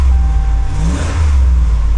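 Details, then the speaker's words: RAM 1500 at auction, just fired up, likely stock exhaust: deep smooth rumble swelling evenly with revs, no rasp or rattle, slight ticking heard from engine; normal exhaust note on rev. "I hear a slight ticking from the engine exhaust sounds nice"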